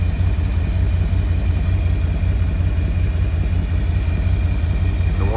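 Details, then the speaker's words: 1952 Cadillac Series 62 V8 warming at idle after a carburetor rebuild, timing still to be set: deep, steady, even burble with no misses or knocks; an earlier alternator whirring went away after oiling. "But I'm liking this. Dang. Sounds good."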